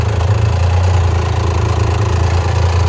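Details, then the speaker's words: 1993 Dodge Stealth R/T (Mitsubishi 3000GT) auction car idling in neutral: low rough idle with fast, uneven clacking about four times a second. Owner suspects the injectors; an exhaust leak or lifters are also considered. "I think that clacking is the injectors. And I might send the injectors off to a place and have them cleaned"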